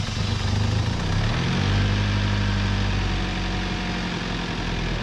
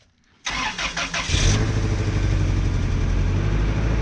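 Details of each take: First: 1997 Toyota Tacoma 2.4L 2RZ-FE after oil pump failure and new bearings, fine metal still in oil: uneven idle with dull irregular low knock about three or four times a second; stethoscope rules out valvetrain, probably not mains, hard to pinpoint, likely rod knock. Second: 1997 Toyota Tacoma 2.4L 2RZ-FE after oil pump failure quick rebuild, first start with ATF in cylinders: starter cranks about a second, engine catches and settles into steady even low idle with no knocks; normal start, smoking.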